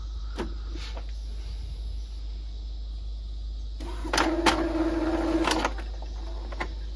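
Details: Epson L1250 after a foreign object was removed from the upper roller to clear paper-jam error 034004, which had made all the lights blink: a short whirring carriage run with light clicks over a low hum during the post-reassembly nozzle-check test. It prints normally.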